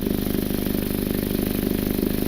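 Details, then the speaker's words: Recorded under the jacked-up car at idle: sharp rapid puffing tick in time with exhaust pulses, gases felt escaping at the flex pipe, with discoloration there; bad flex pipe. Exhaust leak. "I'm gonna show you where that exhaust leak is I can feel they're escaping right over here where this flex pipe is"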